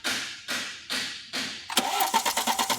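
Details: BMW X3 with a cylinder 2 misfire, cranking during a compression test: slow, evenly spaced strokes of matching strength, then quicker pulsing; compression around 200 and even across cylinders.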